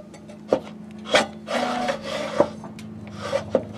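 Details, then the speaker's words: Mower engine said by seller to be seized, turned slowly by the blade by hand: rough rasping scrapes with stiff drag between strokes, something rubbing inside, but not seized. "sounds like there's something going on but it's not seized yeah there's something going on but it wasn't it's not seized"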